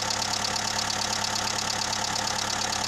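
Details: Skoda 1.4 16V petrol automatic, 170,000 km, idling after reassembly with fresh oil and filter, empty hydraulic lifters and oil on cylinders: faint regular light tapping about three a second; piston slap suspected, much quieter than before.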